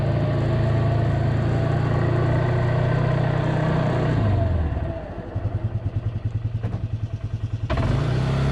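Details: Polaris 300 Sportsman quad after drive belt replacement, started to warm up in rain: small single-cylinder catches and settles from fast warm-up idle to an even thump of about three beats a second; normal idle.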